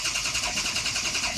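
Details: 2003 Ford F-250 6.0L diesel, HPOP, IPR and ICP sensor replaced 1.5 years ago: starter whirs steadily with even compression beats, never catches; injector control pressure regulator at 61% dropping to 44%, strange noise, crank no start.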